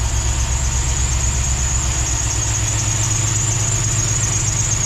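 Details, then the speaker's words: NBS Chevy stepside truck at idle right after an ECU reflash that smoothed out a choppy idle: a steady, high-pitched squeal over an even idle. A slipping, squeaky drive belt is suspected. "that was the problem i still got a really squeaky belt"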